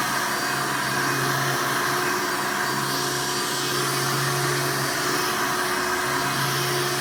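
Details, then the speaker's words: 1988 Hoover Elite vacuum running after its worn motor was replaced with one from a trash-picked 1995 Hoover: a smooth, even motor roar and steady whine with no rattle or grinding. Suction is much better, so running is healthy. "I notice right off the bat that the suction is so much better now not only does the machine sound better but it performs as a vacuum a lot better"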